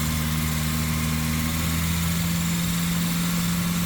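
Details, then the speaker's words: Volvo 940 after camshaft and valve spring upgrade, first start: steady, smooth idle with an even low hum, no misses or knocks, all four cylinders firing; engine healthy. "wow okay we're running on three but sounds like we're on four now"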